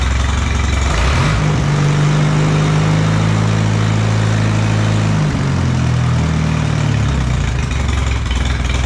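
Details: Allis Chalmers B tractor engine, running after a long repair, with oil pressure and after a throttle test. A steady low chugging idle that dips briefly, then holds even on its own with no knocks or misses. Normal idle.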